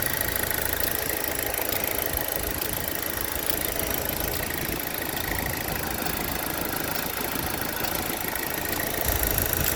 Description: Have this ticking sound in the engine year 2010 Insignia 2.0 turbo. Its like a clock that ticking every second.